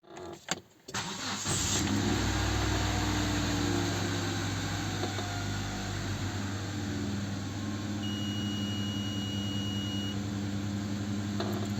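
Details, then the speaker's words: Hyundai Santa Fe petrol engine settles into a fast idle above 1000 rpm, sometimes up to 2000, shifting instead of calming; also hard starting and hesitation on throttle; pinching a hose drops the revs, pointing to a vacuum leak. "так у нас підвищені оберти двигуна зараз в нас більше тисячі іноді буваєть до 2000 і 15сяч також іноді машина Погано заводиться"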